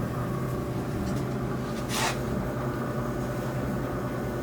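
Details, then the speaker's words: GE gas dryer after gas valve replacement, drum reassembled; smooth even drum rumble with soft steady hum, good heat, no more screeching, running normally. "great heat again nice and smooth no more screeching sound sir"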